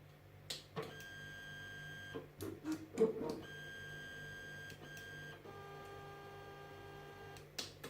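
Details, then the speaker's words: Anet A8 3D printer on its stock drivers before the BigTreeTech TMC5160 upgrade, homing and moving the Y (bed) and X (hotend carriage) axes: whining tones jumping in pitch with each move, clunks at stops; loud stepper vibration. "And then the x-axis, so that's going to be my extruder carriage. Well, hot unit simply, really. And you can hear how much that vibrates."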